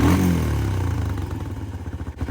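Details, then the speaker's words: Early-2000s Kymco 150 ATV, sat 10+ years, new carburetor fitted, mixture screw being richened: single-cylinder blip, revs sag slowly over about a second into loping idle; slow return suggests slightly lean mixture, not confirmed. "you want it to go back to idle and not go down if it goes down at RPMs that means it's too rich if it takes forever to go back down to idle then it's probably on the lean side"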